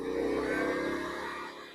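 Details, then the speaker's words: WEN 2000W inverter generator after draining old gas and cleaning the carburetor, eco mode, heat gun on high drawing about 1400 watts at near 118 volts: engine kicks up harder, steady drone with no stumble or surging; handling load fine. "Generator kicked in harder. 1400 watts. So doing fine."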